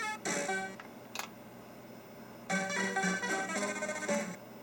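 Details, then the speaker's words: Mappy arcade PCB: game music initially clean, then after running a while turns to broken bursts of jumbled notes and dropouts; temperature-related fault, later traced to sound RAM. "Oh, now it's starting to sound bad again. Take long. It sounds weird now."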